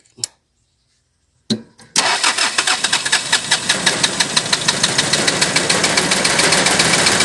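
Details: Toyota 1C diesel engine with hard starting, shaking and noise: two short failed catches, then it fires and settles into a loud, uneven clatter with shaking knocks, starting hard and running rough.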